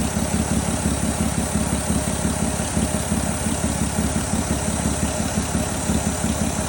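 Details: VW Golf Mk4 VR6 at steady idle: fine airy hiss over the engine's even beat, owner suspects a vacuum line leak, source not confirmed.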